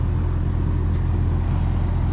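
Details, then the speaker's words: Rheem HVAC outdoor unit after replacing blown transformer and fixing low-voltage short from frayed wires to reversing valve, fuse added: steady low hum, even drone with no clicks or buzzing; running normally after time delay. "As you can hear, it's now on and running. That was our problem. Some frayed wires going to the reversing valve."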